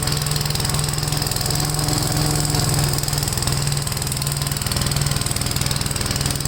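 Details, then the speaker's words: Gravely tractor with brush hog mulcher deck, PTO engaged after remounting deck and adjusting clutch: steady engine drone, even beat about four per second under blade load, no shudder or clatter; runs smooth, no vibration. Normal running. "wow if anything this sounds cool plates are still spaming well it runs really uh smooth no vibration"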